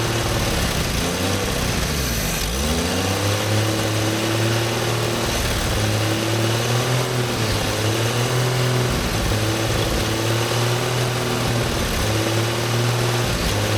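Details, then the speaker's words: 1954 Chevrolet inline six revived after two decades sitting, not yet warm; smooth even idle with a couple of light throttle blips, no misses or knocks; normal running. "why is that one of the best sounding inline sixes I've seen in a very long time"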